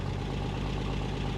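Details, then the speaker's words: 1965 Rambler American 440: steady low idle with a raspy puffing edge on each firing pulse, big crack in the exhaust manifold blowing; exhaust repair paste held only about two days. "I'm going to show you guys what I'm going to do to try to fix that exhaust manifold leak. I tried fixing that with some exhaust repair paste. It didn't do anything."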